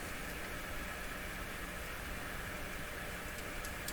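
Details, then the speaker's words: Dominion Electrohome TR50 console receiver, dead on AM and FM, switched to FM with no antenna: steady even hiss, no stations come through; FM hiss with no reception, cause unknown, no schematic. "So both AM and FM appear to be dead. Yet we can hear the FM, what sounds like the FM hiss."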